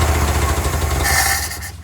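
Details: Old Toyota forklift that had sat for over 10 years, started on gas with a good battery; the engine catches and runs with a steady low throb, then eases off near the end, starting cleanly after long storage.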